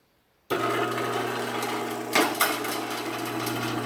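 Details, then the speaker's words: Sears chain-drive garage door opener after a new sprocket install, door running down: even motor hum, steady low tone, only a couple of light knocks; opener itself much quieter, running normally. "But the opener itself is actually much quieter. So we will go ahead and run it back down."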